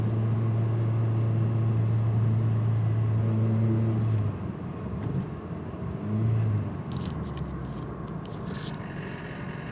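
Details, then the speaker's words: Car driving on light throttle: low drone broken by uneven popping about four times a second from a bad misfire, plus vibration below 2k rpm from a loose timing belt tensioner pulley. "Pop, pop. Pop, pop. And then there's my belt. Noise, noise, noise. Pop, pop, pop, pop. And it's misfiring again."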